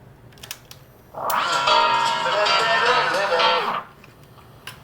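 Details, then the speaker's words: 1983 Sharp QT12 boombox after fixing left-channel dropout on tape by cleaning the record selector switch: cassette plays about three seconds at steady pitch with no drag, warble or dropout; normal playback. "that appears to have solved the problem cleaning the uh the uh record selector switch"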